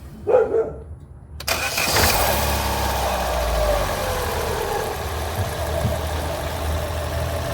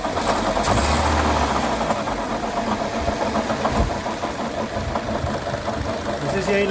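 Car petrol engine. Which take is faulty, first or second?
second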